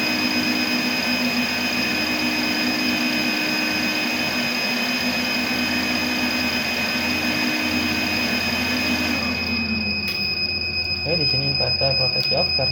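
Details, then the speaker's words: 3 kW 48 V rackmount off-grid low-frequency pure sine inverter with MPPT, pre-shipment load test: steady high whine and blower roar cut out abruptly near nine seconds, leaving quiet clicks; inverter shuts off on overload, then restarts after a few seconds. "off karena ada kelebihan beban. Dan setelah beberapa detik inverter akan hidup kembali."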